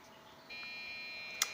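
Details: Desktop PC at restart gives a single steady high beep with the number one light on, indicating a RAM fault; fix is reseating, adding or removing RAM chips.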